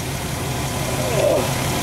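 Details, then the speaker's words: 1999 GMC Safari 4.3L V6 Vortec that stalled with no spark, after replacing coil wiring with wires from a 2004 Sierra, running about an hour, coil at running temperature: smooth, steady idle, no stumble or ticking; fixed. "plugged her in and she fired right up she's been running for about an hour since then"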